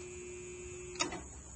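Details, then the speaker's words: Hayward pool pump fails to start, giving only a faint steady electrical buzz with no motor spin-up; the cause is a failed start capacitor, which typically fails about once a year and is replaced after switching off the breaker. "tried to turn on the pump and it didn't come on all we heard was this sound you can hear a little buzzing"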